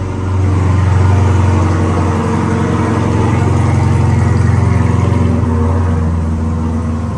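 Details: Chevrolet Corvette C8 at first start after a transmission swap, fresh fluid, rear wheels on and bumper off: strong, even low engine rumble with a smooth swell and no knocks, slips or clunks; later warm-up showed no transmission codes. Running normally.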